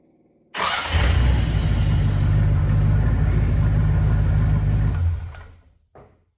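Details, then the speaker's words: 1963 Rambler gasser wagon, fresh engine replacing the AMC motor, with 4-speed, starting on the lift and warming up: catches at once into a strong even idle with mild lope, about 100 psi oil pressure, possibly RV cam; healthy. "That's a tight motor. It's making about 100 pounds of oil pressure. Sounds like it might have a little RV cam in it. Nothing real radical, but big improvement over the AMC motor."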